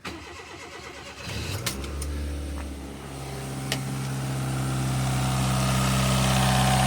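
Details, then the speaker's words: Daihatsu Mira turbo engine cold start in freezing weather: crank catches and settles into a rising idle with a faint quick tick about four a second; owner suspects lifter noise, also reports turbo smoke and a rattle at the top. "Listen carefully, there's going to be like a ticking noise in the engine when I first start up on a cold start."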